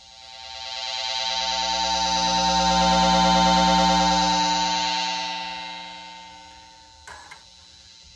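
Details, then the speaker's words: Newly wired single-coil pickup on a cigar box guitar: a steady, buzzy amp hum and static that swells and fades as a soldering iron nears, with fluorescent lights overhead. It shows the pickup works, and the static goes in the middle switch position. "i have fluorescent lights overhead so it's noisy listen to this hear that static that's actually a good thing tells us that it's working"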